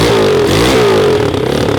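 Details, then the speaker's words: Mini ATV just push-started after swapping the stock 107cc automatic for a 140cc close-ratio 4-speed race engine, being broken in: revs up and down crisply, then settles into a steady quick pulse; normal running. "turns up pretty fast [Music] sounds like it's gonna be fast"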